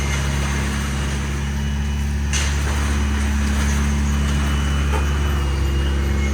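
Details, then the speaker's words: 1987 Toyota MR2, mid-mounted 1.6L DOHC fuel-injected four-cylinder, 5-speed manual, cold start: even, steady hum at about 2,000 rpm cold fast idle that drops as it warms; no knocks or misses, normal. "These idle around 2,000 RPM when they're cold, and then as the engine temperature increases, the RPM drops a bit. So that's why you hear the high RPM."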